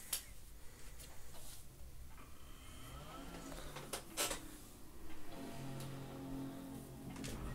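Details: PowerMac G5 after fitting an AirPort antenna: a few clicks and a slide, then a steady startup chord rings out with a soft hum underneath, the normal healthy boot.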